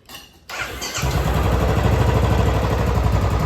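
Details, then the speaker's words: Royal Enfield Classic 350 BS6 starting after repair and settling into an even single-cylinder beat, quiet with no tick even on throttle; the tik-tik had come from loose valve guides, fixed by resetting timing without replacing the hydraulic lifters. "ये देखो बिल्कुल शांत है, BS6 के हिसाब से बिल्कुल। देखो थ्रोटल देने में भी कोई आवाज़ नहीं है।"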